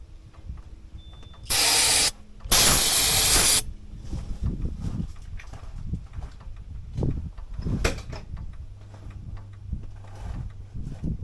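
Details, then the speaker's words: 1989 Ford F150 being revived, which usually starts right up on starting fluid but just cranked and quit. Two long sprays of fluid, then uneven, labouring cranking with scattered coughs that never settles into a run. Hard starting. "She usually don't crank and quit like that. So, let's put another squirt in there."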